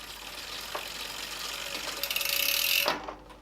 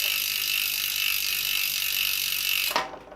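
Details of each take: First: Bicycle disc brake rotor rubbing a misaligned caliper as the wheel spins: faint scraping hiss with a thin high squeal plus freehub clicks; caliper needs setting up correctly. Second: On a bicycle disc brake just aligned by tightening the caliper bolts while holding the brake lever hard, the wheel spins down with fast steady freehub ticking and no scraping or rubbing; the brake runs clear.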